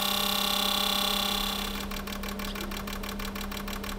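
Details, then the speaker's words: 2018 Porsche Macan 2.0 turbo direct-injection petrol, 95,000 km, misfire codes on cylinders 3 and 4, fuel smell from exhaust; injectors 1–4 bench-tested on equipment: crisp, even ticking about four per second, no cylinder deviating; normal spray pattern. "일단 인젝터는 장비 걸어 가지고 분사를 잘하는지 1번부터 4번까지 편차 없는지 좀 체크를 해 볼게요"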